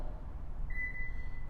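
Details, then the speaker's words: Subaru Pin-Code Access setup: after pressing the Subaru logo and entering the code, each keypad press (1, then 2) gives a single clean, steady high acknowledgement beep. Normal. "I'm gonna hit 1, you hear a beep. Then I'm gonna hit 2, and a beep."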